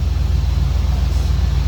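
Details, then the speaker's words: 1996 Ford F-150, rolled-over truck that hadn't run in a year, running after fuel pump and gas tank replacement, fuel gauge confirmed working: deep, even rumble with a steady low pulse, no misses or knocks; runs good. "yeah you can go ahead and shut it off it's long she runs good I told you I never doubted you for a minute"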